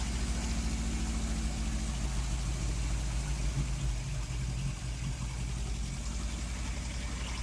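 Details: Cold engine on half choke after timing chain cover seal and gasket replacement, with new coils, leads, spark plugs, electronic ignition module: lurches unevenly with irregular exhaust puffs and pops; rough running and backfiring, owner suspects an ignition problem.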